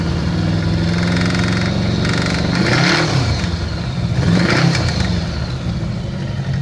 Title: 1982 GL1100 knocking noise